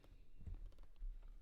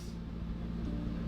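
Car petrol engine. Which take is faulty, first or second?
first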